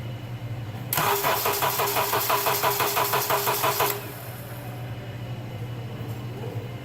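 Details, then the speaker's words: 2005 Honda Accord 2.4-liter 4-cylinder, hard-starting complaint, battery recently replaced, plenum removed, engine cooled from heat soak: about three seconds of steady, slightly sluggish cranking then idle, less slow than before; starter going bad. "In the time it's taken me to take that plenum off, it doesn't actually sound as slow as it did before."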